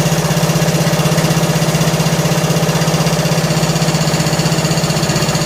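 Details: John Deere L100 lawn tractor engine, long sat, just started and warming up: sharp even ticking about four a second over steady idle hum; loose valve lash that lessens as it warms and when revved; valves need adjusting.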